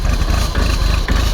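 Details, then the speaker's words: Tractor diesel cold-started with glow plugs at 0 °F: a rough idle with a steady hydraulic pump whine from cold ISO 32 hydraulic oil. The whine is expected to persist during a warm-up of at least half an hour. "You'll hear the hydraulic pump whining for a while. It's got 32 weight hydraulic oil in it, so not quite as bad."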